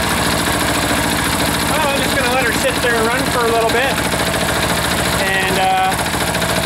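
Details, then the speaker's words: Freshly reassembled air-cooled diesel engine left idling to burn some fuel; even, steady clatter with no misses or knocks throughout, looks somewhat happy. Normal idle. "looks like it's somewhat happy sitting there so we let her sit"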